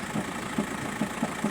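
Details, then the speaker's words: VW Golf 5 diesel, cold idle: dull, uneven knock about three times a second from a worn dual-mass flywheel; clutch works normally, knock disappears with clutch pressed, returns when released, and lessens once the engine warms up. "Всем привет Вот пятый Golf дизель о и9 и вот такие звуки на холодную это звук звук когда постукивает двухмассовый маховик"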